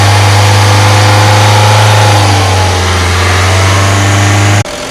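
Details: Ford EcoSport engine: loud, steady low drone from the engine with a faint whirring on top; something sounds off, but no clear knock or tick points to a cause.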